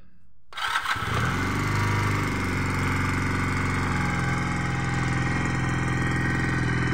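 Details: Junak M11 Cafe motorcycle, started with the ignition key: it fires at once after a short crank and settles into an even, steady idle with no knocks or misses. This is a normal cold start and idle.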